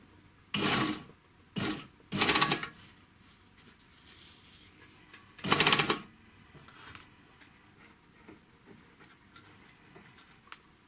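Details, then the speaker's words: Serviced 3-thread overlocker (GM C1D) sewing thin fabric and running without fabric: short even bursts of fast bright stitching, no knocking; healthy run, whereas dense denim brings knocking from a loose upper knife with play. "обратите внимание я шью тонкий материал и без материала значит машина строчек хорошо по звуку слушайте"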